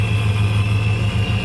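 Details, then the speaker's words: 2013 Ford F-150 5.0 Coyote V8 with ProCharger at about 12 lbs boost idling: deep uneven knock under supercharger whine after losing oil pressure (owner unsure if oil pump gears), worse when warm; engine to be replaced. "but the knock is pretty bad once it heats up so we will be uh rebuilding this thing with a gen 3 Coyote engine so stay tuned for future videos"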